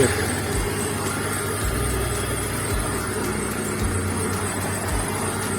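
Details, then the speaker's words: BMW E30 M44B19 at idle after fitting a new Stelox power steering pump with ATF Dexron II (green fluid previously used); wheel turned, slight low rumbles, no whine or groan from pump or roller, steering quiet. "Nasosul nu se aude bisa și rolicul"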